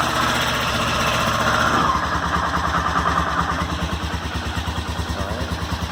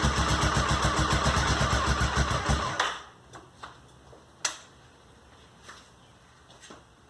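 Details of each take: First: Honda SuperHawk 996 (VTR1000) V-twin, recently revived: settles from higher revs to lumpy steady idle; owner reports a single clunk about every 30 seconds without lurch or rpm change, not clear here. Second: Honda SuperHawk 996 (VTR1000) V-twin just reassembled after rebuild, fresh coolant: even, loping beat about three and a half pulses a second, then shut off; normal warm-up idle, though coolant climbed quickly to 102 and smelled hot.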